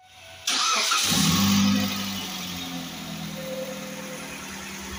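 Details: Mitsubishi TR4 after a lifter tick repair, with a clogged camshaft oil passage cleaned and new lifters fitted: it cranks, flares up and settles into a smooth steady idle with no ticking from the top end.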